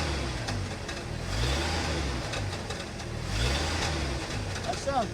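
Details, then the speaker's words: 1974 Ford F-250 Ranger SuperCab straight six after new spark plugs and wires: a deep, steady rumble with a slow swell and no misses or knocks. Normal idle after the tune-up. "pretty gosh darn good. That sounds pretty good. I'm gonna take it around the block and see what happens."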